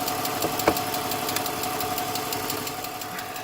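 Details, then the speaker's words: BMW 325xi Touring, manual, non-running auction car: light uneven ticking over steady petrol idle; source unidentified, possibly valvetrain or exhaust leak, not confirmed. "definitely out here some I don't know what that ticket so hopefully it'll go away"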